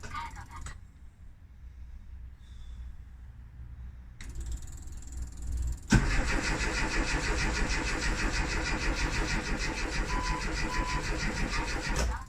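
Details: Rover Mini / classic Mini with points ignition, left unused for three months: the starter churns steadily, about three turns a second, for several seconds but the engine never catches. Crank no-start; cause not confirmed.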